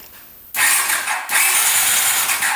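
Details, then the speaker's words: 1981 Honda CX500 café bike that sat in a basement for years, first crank on the starter before oiling the cylinders: steady whirring crank in two even bursts with no grinding or dragging; normal cranking. "turns over really good too before we turn it over too much let's get some oil down the cylinders"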